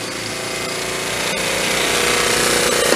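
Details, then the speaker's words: 1974 Honda Z50 monkey bike: revs climb on their own with a busy rattling buzz instead of settling; surging idle, found to be an intake air leak by spraying carb cleaner. "like now it's running away without doing anything it's just changing so it's like teasing me"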